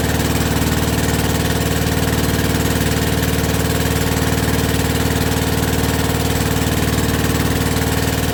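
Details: Rebuilt WW2 generator engine on first start, original piston warm, about quarter choke, petrol tap leaking: steady, even single-cylinder beat with no misses or knocks and no smoke; normal idle.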